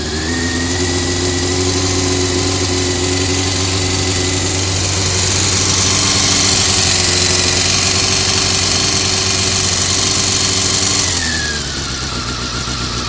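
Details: Honda CBR400RR after riding at Ebisu Circuit: held high revs with steady whine and metallic rattle easing as revs drop; abnormal engine noise, suspected cam gear train, unconfirmed.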